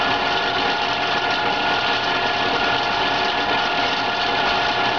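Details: PMI BRISA WH2903A evaporative cooler, after about 60 hours of use, water pump and blower motor on: harsh buzzing rattle over the motor hum, like a failed bearing. The squirrel-cage blower wheel had shifted and was rubbing its housing.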